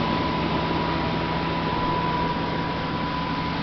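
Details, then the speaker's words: 1995 Jaguar convertible idling; smooth, even hum holding steady without misses, ticks or knocks, a healthy engine with no real issues noted. "I don't see any real issues with this car um at all really it's very nice you can hear it running"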